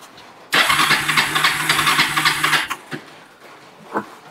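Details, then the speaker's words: Kawasaki Bayou 300 ATV, sat about two years, after carburetor cleaning, choked with plenty of fuel: about two seconds of fast even cranking with no firing; cranks but won't start, plug later found fuel-covered, spark suspected. "we'll do a start test see if it'll run go ahead and choke it oh there's the fuel running out yep tap on a little bit well it's slowed way down I'll Crank It Up Now all right I'll give it a choke uh we got plenty of fuel"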